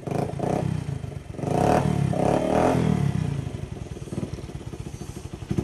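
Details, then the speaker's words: Platina single-cylinder after service, water in the fuel tank: revs then settles to idle with uneven, dropping beats; slight misfire attributed by owner to water in the tank. "तो guys finally bike तो start हो गई है और थोड़ी सी गा missing कर रही है तो वो कर रही है गाइस में जो कि टैंकी में थोड़ा सा पानी वगैरह घुसा हुआ है ना"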